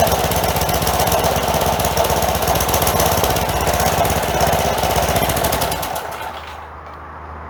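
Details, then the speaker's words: Old 4 hp Craftsman edger, sat outside for years, first run after replacing a sand-filled carburetor; loud rapid chatter with uneven wavering beat, surging. Breather and air filter not yet refitted; owner suspects that may cure it. "okay it actually sounds pretty good considering that she's been sitting for many many many years it's surging a little bit but we haven't put the breather back on it yet either"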